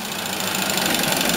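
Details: Inch-scale single-cylinder steam engine driving a gypsy winch head on compressed air, pulling a vice across the shop floor: quick, even chuffing holds a steady rhythm as load comes on, no knocks or misses; normal running under load.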